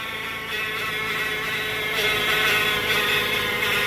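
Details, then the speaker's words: Towed-in car whose transmission won't pull, running with the AC off: a loud, steady high "hummingbird" whine over the engine. It is automatic transmission whine, and the car is unsafe to drive. "Sound like a hummingbird. Ladies and gentlemen, that is a transmission whine."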